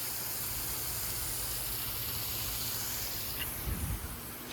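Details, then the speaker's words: Old sprinkler rotor in zone 5: steady hiss of water spray with no ticking drive rhythm; rotor not rotating, to be replaced, cause unconfirmed. "It wasn't rotating when I tested it, so I'll have to let them know. And I'll give them a new sprinkler for this one, because as you can see, it's not really doing anything that much."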